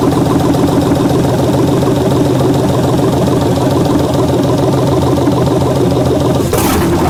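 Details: 1967 Chevelle with an LS swap, first start on a rigged fuel supply with electric injectors: steady, even V8 idle with a smooth low throb and no knocks or misses. It runs fine.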